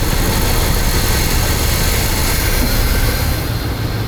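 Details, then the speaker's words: Loud, uneven, lumpy misfiring idle whose tempo changes when the cylinder five intake area is sprayed, revealing a vacuum leak; the owner concludes a new intake manifold gasket is needed. "Do you guys hear the change in tempo of the engine? Intake manifold gasket is what it needs."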